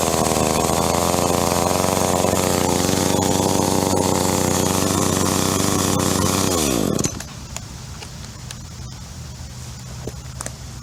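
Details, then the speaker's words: Echo CS-305 chainsaw just after carburetor replacement: fast buzzy idle revving above normal with chain still spinning, then winding down; low-speed jet needs adjustment. "Alright, so as you can see, the chain was still spinning and it was revving a little bit at idle, which means that the low speed jet needs to be adjusted."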